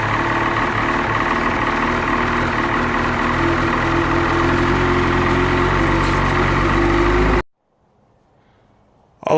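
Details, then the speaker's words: Ski-Doo Freeride 800R E-TEC snowmobile after the recoil starter kit install, muffler refitted: it starts up into an even, buzzy two-stroke idle, steady for several seconds before cutting off, with no misfire or rattle; good to go. "Everything's in place. Starts up. So it's good to go."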